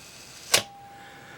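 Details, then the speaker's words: Minolta SRT 102 35mm film SLR shutter fired at 1 second: crisp opening click, clean one-second pause, sharp closing snap; earlier sluggish on slow speeds, now sounds right, may just need exercising. "That sounded pretty good, so it might just be that it has to be exercised more often."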